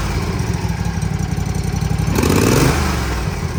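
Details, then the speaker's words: Toro TimeCutter 50-inch mower, Kawasaki FR691, after valve adjustment; steady even idle thump about four pulses a second, brief throttle blip, no clacking, quiet; normal idle. "Oh yeah, way better. No noise. She's quiet as a church mouse now."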